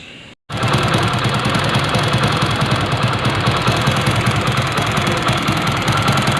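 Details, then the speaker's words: Motorcycle idling with a fast, uneven rubbing chatter about three times per second, easily mistaken for timing chain noise. It is actually magneto noise from the inner plate rubbing; the fix is replacing the magneto or removing the plate. "இந்த சவுண்டை பார்த்தீங்கன்னா எல்லாருமே timing chain சவுண்டுன்னு சொல்லுவாங்க, ஆனால் இது வந்து magnet noise."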